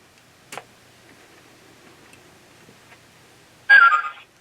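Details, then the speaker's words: Lionel LionChief Plus GP7 O-gauge locomotive, track powered at about 18 volts AC, lights flashing: short high half-second whistle because the engine gets no signal from the remote, which is still switched off. "Anyway, the lights are flashing and we hear that whistling noise because the engine is not getting a signal from the LionChief Plus remote."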